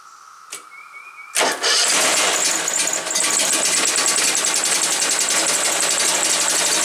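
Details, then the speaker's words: Woods 6180 zero-turn mower, 18 hp Briggs Vanguard, after carburetor cleaning: catches after a couple of cranks, loud uneven chuffing; runs rough until air filter top removed, filter suspected plugged and oil-saturated. "this air filter must be plugged up. As soon as I took the top off, it started running smooth."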